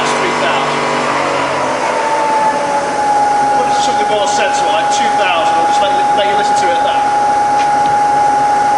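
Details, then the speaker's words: Bridgeport milling machine (48" table, Vari-speed head) spindle in high range: steady, clean mid-pitched whine with no knocking or grinding; super smooth, normal spindle run. "Yeah, it's super smooth."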